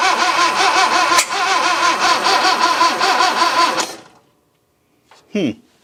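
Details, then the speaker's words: 1966 Datsun 520 truck abandoned 40 years, first start attempt: the starter churns steadily at about two and a half turns a second with no firing; it turns over but won't catch. "No fire yet. Well, let's give the starter a break for a moment and see what we've learned. First and foremost, it turns over."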